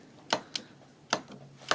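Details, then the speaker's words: 2008 Honda Fit evaporative vent solenoid (normally open), code P2422 stuck closed, bench tested with a Power Probe 3: crisp clicks on power with quieter release ticks between, solenoid engaging properly. "so if we see if we hear the click meaning the solenoid is engaging"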